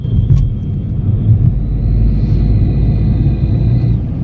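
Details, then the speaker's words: Mahindra XUV 3XO heard inside the cabin while cruising in fourth gear: a deep rumble with a faint high whine that rises and fades. The owner mentions a belt noise; the source is unconfirmed. "आप देख पा रहे हो कुछ ऐसी sound आ रही है इसके अंदर अगर आपको महसूस हो रहा हो क्या साउंड है"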